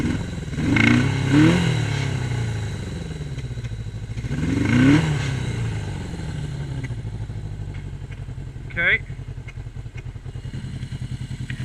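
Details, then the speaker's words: 1981 Yamaha XS1100 on Speeduino engine management, after checking cylinder firing (one cylinder reading low): blips then lumpy surging idle at fixed throttle with uneven beat; running rich, one cylinder barely firing. "okay see that's rich all right well [Music] [Music] I'm holding throttle at the same spot and I'm surging like this"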